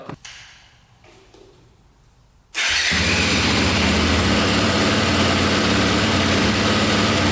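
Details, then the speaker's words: Cheap used KTM 450 single-cylinder dirt bike fires right up and runs steadily and evenly on low oil, run only briefly. An earlier noise is suspected to be the one-way starter bearing. "she fired right up that sounded really good actually i don't have much oil in it so i didn't want to run it too long"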